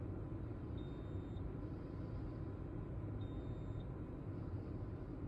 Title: Beeping sound polestar 2